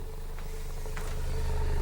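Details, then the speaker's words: Klipsch ProMedia subwoofer, over 10 years old, test tone lowered from 28 Hz to 25 Hz where it bottoms out: deep low tone with slightly less amplitude but much more air rushing through the port; port chuffing. "Slightly less amplitude, but a lot more air going through the port."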